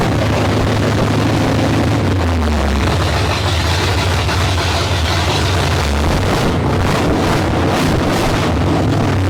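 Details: 1972 Ford Maverick with a freshly rebuilt 317 V8, no exhaust and no coolant, carburetor untuned. A loud open-pipe idle that rises and sags every few seconds. Erratic idle; owner says the carburetor floats are too low and an air leak is still to be checked.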